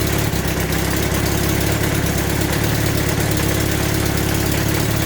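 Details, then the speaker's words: Temporary twin-cylinder motorcycle engine, first run with the rear silencer connected: an uneven idle with a rough chuffing puff over a low thrum, plus vibration, so it does not feel smooth. An exhaust leak at the header pipe. "okay running but not well definitely got an exhaust leak from here here that exhaust but more than that I didn't feel smooth"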